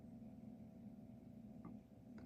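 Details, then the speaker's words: Dell Dimension 4300 Windows XP desktop at first bootup, shutting down: quiet steady fan drone with a slightly uneven rough hum plus hard-drive seek clicks; fan runs rough, cause unknown. "The fan does kind of sound rough. It's It's really like I don't know how to explain the sound. I'm pretty sure you could hear it."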